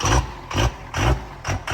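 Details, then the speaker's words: 1700 hp twin-turbo 3rd Gen Cummins drag truck at start-up after rebuild: heavy diesel with a lumpy surging beat about every 0.4 seconds, whole truck shaking; likely air in the system and the rail pressure sensor was unplugged. "Probably got a lot of air in the system. It shit now. Also, it wasn't reading rail pressure, so that might have been why it was acting funky."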